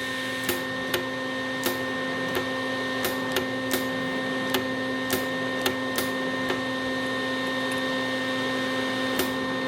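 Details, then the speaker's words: Lincoln Electric Weld-Pak 125 HD converted from flux core to MIG, newly fitted 12V 1/4" brass gas solenoid valve tested with welder on: sharp clicks at irregular intervals over a steady electrical hum; solenoid working properly. "so the solenoid is indeed working."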